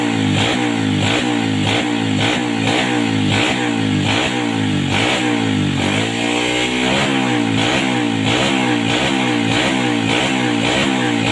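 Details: 2007 Yamaha Vega R after carburetor cleaning for sputtering and coughing; quick regular rev blips rise and fall cleanly, no coughing or misfire, crisp throttle response; normal revving.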